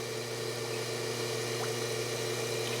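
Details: Hydro-Spa Princess hot tub with Hydro-Quip CS800-A1 115 V air-button controller, reassembled after repair, heater on: steady even pump motor hum with soft water churn, no surging or cutting out; normal running.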